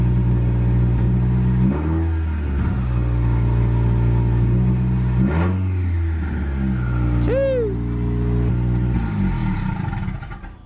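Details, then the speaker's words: 2016 Subaru WRX after DeatschWerks DW300C fuel pump install and priming, checking fuel pressure: clean start to steady idle, then three crisp blips rising and falling smoothly; normal start and revving. "Alright, and then you should be straight to turn the car on. Making sure we're getting some type of fuel pressure."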